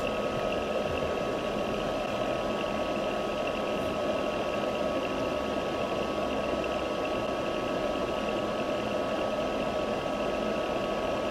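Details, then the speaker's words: Palstar PS-30M bench power supply with its original cooling fan, before replacement, giving a steady, loud whoosh with a faint whine. The fan noise is worse in warm ambient temperatures. "You will hear that the fan in the power supply is quite noisy. This is particularly problematic when the ambient temperature is quite warm."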